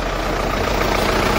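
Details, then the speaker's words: Warm PD pump-injector diesel after the ECU hot-start map was modified: it catches at once and settles into a steady, even clatter with no hesitation; a clean hot start. "Un, protams, arī pie 90 grādiem daudz vieglāk un mīkstāk iedarbojās dzinējs."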